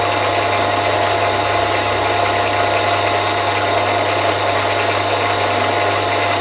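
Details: Milling machine spindle after new bearings fitted, run at lower rpm during runout test with indicator on end mill shank, smooth even hum, low drone and faint constant whine, no knocks; runout judged minimal; normal spindle running.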